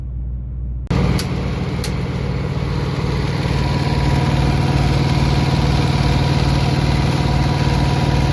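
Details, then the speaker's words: Truck auxiliary power unit (APU) small diesel warmed up after suspected water pump leak: loud, somewhat uneven chug about four beats a second, still sounds like crap once warm; rough running when warm, cause unknown. "I guess this thing sounds like hammered crap until it's warmed up and then it just sounds like crap"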